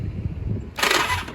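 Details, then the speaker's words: 1983 Honda V45 Sabre VF750S left sitting outside, after cleaning the starter button contacts: brief strong whirr of the starter spinning the engine cleanly on the button; cranking healthy, cleaning the contacts fixed the no-start. "button sounds good feels good all right well she will start if I really wanted to I could put the choke on and uh fire her up"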